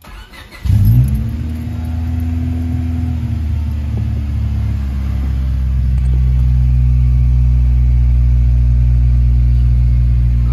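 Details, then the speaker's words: Honda D16Y7 engine after swapping to a D16Y8 intake manifold: catches and settles into a high idle around 2500 rpm that slowly surges instead of dropping; owner suspects JB-welded air injection holes in the manifold leaking, not confirmed. "I'll just show you guys what it's doing. It wants to idle at 2500, but it's sort of surging."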